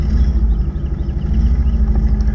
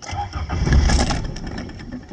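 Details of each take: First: 1981 Toyota Tercel, carbureted, just jump-started from a dead battery, idling as it warms up: low, steady idle rumble with an even beat, no knocking or stumbling; running smoothly. Owner says it is sometimes hard to start and suspects the carburetor. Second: 1981 Toyota Tercel, carbureted, started via jump starter from dead battery: engine cranks briefly, stumbles, then catches into an uneven low idle; owner says it's sometimes hard to start, cause not pinned down.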